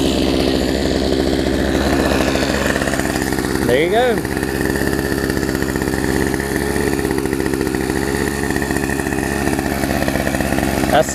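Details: Poulan Pro 18" two-stroke chainsaw, revived from an equipment lot and running again, cutting a log: steady, even buzz holds its pitch under load; runs cleanly.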